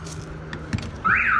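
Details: Trailer alarm system with the back door opened while armed: quiet background, then a loud siren suddenly sweeping up and down around 1–2 kHz, the door-open sensor tripping the alarm as intended.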